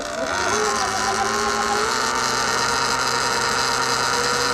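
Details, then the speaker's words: Sur Ron/Luna XX electric bike in EP mode, primary drive belt too tight from factory: steady high whine over the chain's light rattle at constant speed, holding pitch; belt overtightened. "so you should hear the chain, but you can definitely hear another noise, and that was what Kenji Fox actually pointed out to me."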